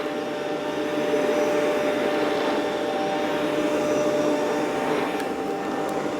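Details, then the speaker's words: Rainbow PN12 power nozzle after refurbishment and new belt installation: steady motor roar, brush spinning evenly with slight sag under load; runs much faster than before, no bogging. "Okay, that seems pretty good [Music] speedwise. Yeah, a lot better. A lot better."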